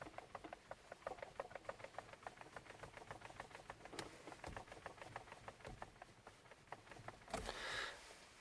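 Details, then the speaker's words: Lada Vesta steering column, quiet cabin: light crisp plastic ticking, about five per second, when the wheel is turned slightly and sharply one way then the other; owner wonders whether it's a manufacturing defect, cause unknown. "есть есть небольшой пластиковый когда чуть-чуть руль поворачиваешь резко то в одно то в другое направление"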